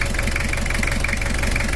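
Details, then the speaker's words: Toyota Kijang LGX diesel, 2L engine, after repair and cleaning: steady idle with a light, even clatter, a slight crackle typical of older models, neither too dry nor too harsh; normal diesel idle. "ini untuk tahun yang lama ini suaranya udah ada cracknya enggak terlalu garing dan juga enggak terlalu kasar"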